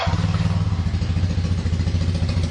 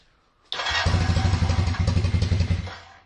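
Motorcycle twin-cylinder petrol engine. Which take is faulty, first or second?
second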